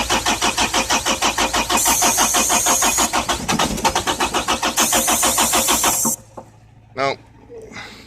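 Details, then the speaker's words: Ingersoll Rand diesel machine in Florida at about 60 degrees: steady cranking at about three turns a second for six seconds, never catches; cranks but won't start, and the starter then quit, possibly from overheating. "look the son of a bitchin thing just sits there and cranks by yourself look this is what starts this garbage"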